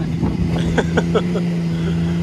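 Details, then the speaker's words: Can-Am Maverick X3 Max, left front-wheel drive only after a hard launch. An engine drone with a quick run of sharp clicks that fade over about a second: a snapped drive axle grinding. "for some reason it didn't like that [Music] let's listen to her grind"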